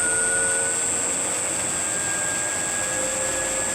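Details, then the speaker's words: 1940 Hercus lathe after static balancing of the spindle pulleys, running up to top speed 1125 rpm; steady even hum with constant high tone and no knocks or wobble, only slight vibration at top speed; normal spindle run. "top speed 1125 a little bit of vibration at the top space but no idea what it was"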